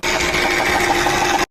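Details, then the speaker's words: Car engine oil pump noise: a rapid, steady mechanical whir with a fine, fast rattle. "Tiếng bơm dầu động cơ."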